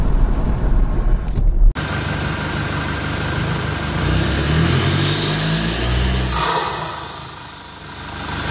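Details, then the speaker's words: Toyota Innova Reborn diesel with an open air filter fitted, about 600–700 km later, stationary with throttle blips: a high turbo whistle climbs and falls with the revs over the diesel clatter; a normal, healthy turbo spool. "Oke tadi setelah kita dengarkan Bagaimana suara siung-siungnya ya suara turbonya suara dengingan turbonya kita sudah dengarkan tadi saat mobil kita berhenti Kita injak gas itu suara S seperti itu ya"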